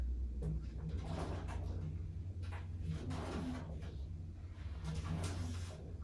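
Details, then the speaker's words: Samsung FlexWash upper washer, Delicates cycle with light load of shorts and a sweater, drum refilling: low tumbling hum with loud metal-on-metal clunks every couple of seconds; owner suspects a zipper at the bottom of the drum. "Okay, that's definitely gotta be the zipper. It sounds like metal on metal in there. I bet you the zipper's on the bottom."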